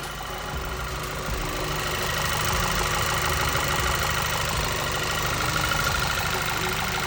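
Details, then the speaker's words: 2011 Volkswagen Eos 2.0 TSI after replacing timing cover gasket and PCV valve to cure a vacuum-leak misfire: steady even idle, smooth unbroken hum with no stumbles or misses; fixed, no misfire codes. "Man, I can't be more happier. It's fixed."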